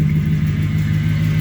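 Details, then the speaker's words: 1978 Chevy Silverado long bed, V8 idling just after start: faint steady high whine over a deep even idle from the power steering pump, which owner already knew needs fixing or replacing; power steering pump whine. "only thing i gotta address is that power steering pump i don't know if you can hear it whining but it's whining so i'm going to cut it off"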